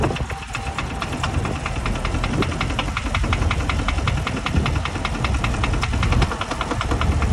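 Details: 2021 Camaro 2SS 1LE, 16,500 miles: a steady rapid ticking knock, about five a second, over a rough idle; owner suspects rod knock or possibly a smaller problem, cause not confirmed.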